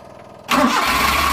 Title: GANITO PAG ENGINE HARD START sa UMAGA Suzuki F6a Multicab